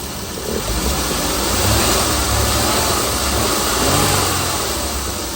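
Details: Chrysler Pentastar 3.6L V6 in a 2017 Dodge Ram 1500 regular cab (labelled 2016), idling after a start with massive cranking noise; loose, uneven tapping about three times a second over the engine hum, abnormal idle noise, source not pinned.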